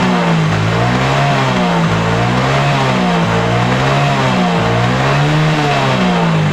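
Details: Yamaha Mio J fuel-injected scooter that kept dying suddenly, after the cracked injector socket was pressed back into contact: engine revs up and drops back repeatedly, firing clean and even with no stumble. The fault is traced to the injector, which has a cracked socket and is clogged.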